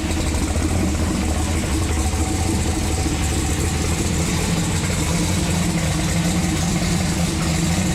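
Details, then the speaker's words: Turbocharged COPO Camaro, freshly rebuilt with new intake, turbo and exhaust, restarted to idle: deep, even idle with a steady low burble and no knocks, misses or hunting; normal idle. "we gotta give this little girl one more fire up because she just sounds too good i can't get over it"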